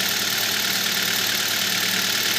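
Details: Petrol engine idling after a belt-conditioner spray: a steady, even hiss and low hum with the belt squeal gone; it had squeaked right after starting before the spray.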